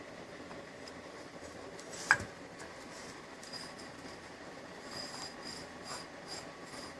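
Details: Removed water pump from 2000 BMW 323 E46, owned since 2005 at 90,000 miles: quiet dry rasping rub with a sharp click as the loose shaft turns by hand, worn bearing; impeller intact.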